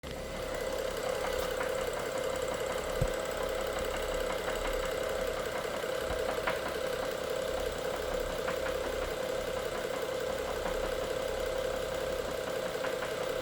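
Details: BMW F07 with the N55 engine; steady idle hum with faint, uneven ticking knocks about three or four a second over it. An engine knock of unclear origin.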